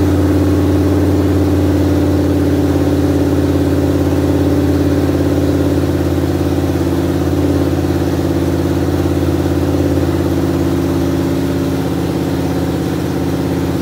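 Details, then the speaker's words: 1973 Dodge Dart running on its first start in many years after a battery recharge: steady, even idle with a smooth low rumble and no knocks or misses. It ran well with a couple of small hiccups. Normal idle. "I mean obviously you heard the engine run it ran really great I had a couple of small hiccups"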